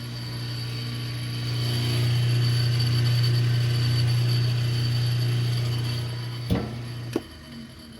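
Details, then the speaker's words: Top-load washer running with its lid switch broken; a low motor drone with a quick, even clacking of about four per second underneath from a broken motor coupler. "so I notice this thing was already broken so that sound this is another video it's a broken coupler here"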